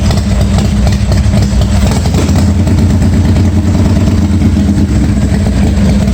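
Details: 1986 Harley-Davidson Softail first start after starter and wiring repairs, lights connected: fires up and settles into a steady, even loping idle with clean throttle pickup, no knocks or rattles; normal start and idle.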